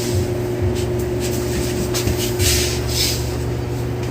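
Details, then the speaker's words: LG Dual Inverter aircon, tested after it failed following cleaning: indoor fan starts and runs with a steady low hum under some handling hiss, no rubbing or rattle; normal fan running. "Ayun, maandar na yung pan. Okay. Ayun, maandar na yung pan, ha."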